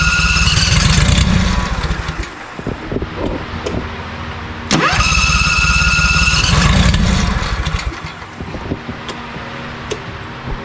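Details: ZT200 mower with newly fitted replacement engine and new starter solenoid: starter churns at about three and a half beats a second, engine catches briefly, then dies twice.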